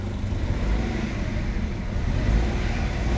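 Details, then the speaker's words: Mitsubishi Mirage with hard starting and the check engine light on: uneven, lumpy petrol idle with an irregular low thump from a P0301 cylinder 1 misfire. "yan hard starting nakailaw yung check engine yung makina niya po palyado"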